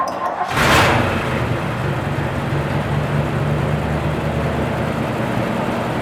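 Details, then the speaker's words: Modine hanging unit heater in a garage after replacing the high-limit switch and fan delay switch, first run after sitting three or four months; a brief start-up rush settles into a steady, even low rumble, running fine. "it cleared up it runs fine now so take a look"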